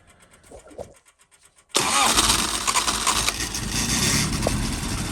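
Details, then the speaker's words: Freshly built 1040cc Imp engine with rebuilt Weber DCOE carbs, early run-up on dyno before load testing: few cranking ticks, catches at once with crisp blip, settles into even run; normal start. "Anyway, so what we'll do, we'll fire it up together now. It's sweet as a nut. I'm really happy with it."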